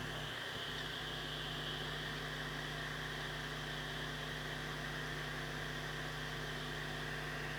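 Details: Old 80GB Seagate Barracuda 7200 RPM drive, plugged in via USB hub: a short spin-up, then a steady smooth low hum near 120 per second under faint hiss; normal spin-up and idle.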